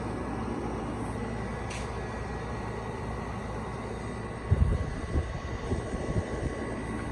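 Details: GE 5050 BTU window air conditioner from 2013, taken off standby and started in a hot, humid garage: even, steady low hum with a smooth compressor drone and no knocking or rattling; running normally.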